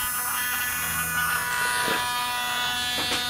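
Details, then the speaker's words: Small DC motor driven by an L9110 motor controller from an Arduino with a potentiometer: a steady squeaky high-pitched whine while the motor is powered but stalled, because the PWM value is too weak to spin it. "Okay, so the reason why we hear that squeaky high-pitched noise is because even though the motor's not spinning sometimes, it's because the PWM value is not strong enough to make the motor spin."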